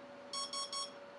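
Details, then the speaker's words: ESC programming-mode menu beeps: three quick, evenly spaced high beeps over a faint hum as an eBay X-Wing ESC steps through its menu items (brake, battery type, cut-off mode, threshold, startup, timing); the last is exit, which repeats the options. "each one is a different menu set of options and that last one is the exit option and what it'll do will just repeat the options again"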